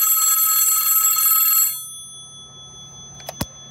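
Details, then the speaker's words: Western Electric 500DM telephone, case off, both bells fitted, clapper moving between bells: fast even bright trill at about four strikes a second, stopping cleanly; normal two-bell ring. "so i'm going to pick up this phone dial my voicemail and then flash as you can see that clapper is moving back and forth between the bells"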